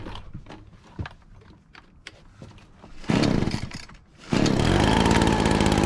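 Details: Husqvarna 435 X-Torq chainsaw after fitting a replacement part with a slightly different face: sharp two-stroke bursts settle into a steady, even buzzing idle with no hunting or stalling; idles normally.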